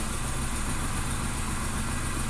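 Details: 2016 Nissan Note, HR12 supercharged three-cylinder, code P0302 with flashing check light, stalling and power loss: uneven lumpy idle stumbling every few turns; cylinder misfire, power balance test cutting cylinder two changed nothing.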